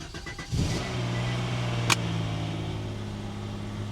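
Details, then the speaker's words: Salvage-auction car at Copart, jump-started: fast cold idle with a light, busy top-end clatter; may quiet down as engines that sat often do; cause unconfirmed. "hello she's a little noisy on the top end but that could go away sometimes it does sometimes it does guys sometimes these cars don't get started for a long period of time and it takes a while for the top end to quiet down"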